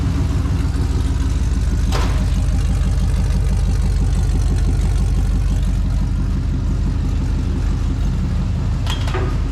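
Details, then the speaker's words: LQ4 6.0 V8 with 4L80E swapped into an International Scout Traveler, at first start: a lifter ticked initially, then pumped up. Now a steady, deep, even idle burble with no ticking and good oil pressure. "I had a lifter that was ticking when I first fired it up, which is to be kind of expected on a new engine."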